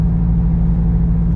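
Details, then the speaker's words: Truck at light cruise, heard in cab: steady heavy low droning hum; exhaust drone, driver suspects transmission stuck between gears and engine cylinder deactivation. "It's like stuck between gears, and the engine goes to like a deactivation, I think. and you get that real drone feel."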